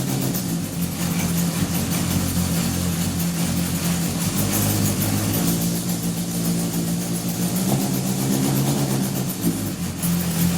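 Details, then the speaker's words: 1978 Honda CB750 engine on a stand, first run in likely over 10 years after carb and idle adjustment: steady, even four-cylinder idle with a smooth low hum and no knocks or misses. All four exhaust pipes are hot, so all cylinders are firing; normal idle. "so I'm just checking each of these exhaust pipes I just see if they're hot and they are so that means all four cylinders were firing as well"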